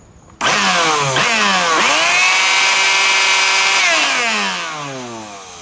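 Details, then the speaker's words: Bissell PowerForce Helix 2191 bagless upright vacuum, trash-picked, test-run with an alligator clip bridging a broken motor connection before soldering: motor whines up to a steady high pitch with crackly hiss, then winds down. Sparks come from the loose clip bouncing on and off; the motor runs. "all the Sparks are from that alligator clip it moved slightly it kind of went down where the clamp is not it's really secure on there so it was bouncing off and on"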